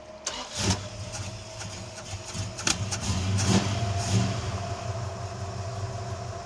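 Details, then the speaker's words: Plymouth Duster started hot with its idle set too fast: the engine settles to a fast idle with a thin steady whine over the rumble from a junk idler pulley bearing. "Steve there's a new noise what is that there's a new noise and is The Idler oh that bearings junk yeah uh we better look at that cuz that's going to come off and be a disaster"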